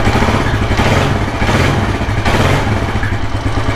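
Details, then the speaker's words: 1984 Kawasaki KLR600 kickstart single, rebuilt engine, after cold start from sitting 7–10 days; slow, even thumping idle with no knocks or rattles, healthy but idling a bit low, adjustable at the idle speed screw. "and then I'll I'll let it let it turn down an idle so it's idling a bit low that can be adjusted down here with the idle speed screw"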